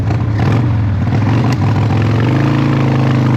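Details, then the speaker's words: Harley-Davidson Evo 1340 Heritage Softail, faultless on an 800 km ride, then sat about two weeks: big twin loping unevenly at low revs, stumbling beat instead of a steady rhythm; running rough, cause unknown. "As you can see, for some reason, it doesn't sound good."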